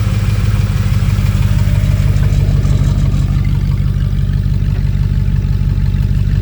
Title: 2006 f150 plz help does this look normal squeaking noise did the shaft come out of trans?